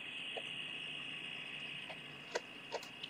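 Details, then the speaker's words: Maxitronix 10-in-1 one-transistor radio with diode, project 6: steady high-pitched hum with irregular chirps, no station received; tuning capacitor has no effect, touching the transistor base changes the sound, cause unclear. "The tuning capacitor doesn't change the nature of the output. It's just this humming, chirping kind of thing."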